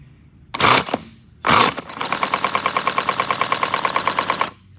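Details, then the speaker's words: 3D-printed 70cc flat-four boxer compressed-air engine model, overheated and melted open, cooler kit refitted. After two air blasts, a sharp, uneven clatter of about nine knocks a second rides the exhaust puffs; crankshaft has visible play, causing the knocking. "You can see the whole crankshaft just moving with it, and that's why it sounds like this. You will hear a knocking noise."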